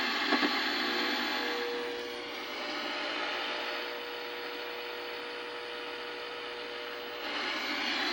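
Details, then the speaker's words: 1964 Sony 9-304U portable TV after the bad detector diode was replaced: a steady, even static hiss with a faint constant tone underneath and no squealing; it is now working. "ooh no more squealing no more motor boating no more wow do we have static we do no more uh vertical noise no more horizontal squealing it's no longer a noise toy then look"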